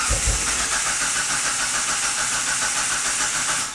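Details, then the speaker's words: 2004 Mitsubishi CH Lancer, fuel filter change: after the engine stalled, it was cranked for about five seconds to empty the fuel lines. Steady rhythmic starter churning with no catch or firing, then it stops; cranking no-start, no fuel delivery. "well I'm going to assume that that means that there's no more fuel left in the fuel lines"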